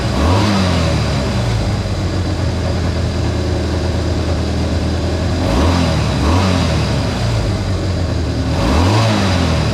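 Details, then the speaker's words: Honda CA160 Benly single-cylinder engine after carb work (float level set, two plugged jets cleared, fuel filter fitted): steady idle patter, then three clean smooth revs; runs even and healthy. "Well, ladies and gentlemen, it runs it runs pretty good, too. Sounded pretty good."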